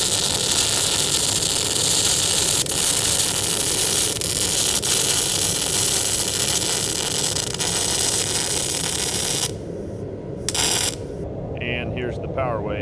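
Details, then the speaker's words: Lincoln Electric MIG welder demonstrating spray transfer: smooth continuous soft whisper-like hiss with no crackle or popping for about nine seconds, then stops; normal spray transfer arc. "Now where the short circuit transfer is supposed to sound like bacon frying in a pan, spray transfer should sound like a whisper or a silent hiss."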